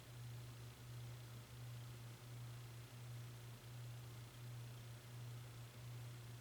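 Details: Hunter Westminster ceiling fan: steady loud 60Hz hum with a soft pulse about every 0.7 s. Suspected bad capacitor, since high speed runs no faster than medium.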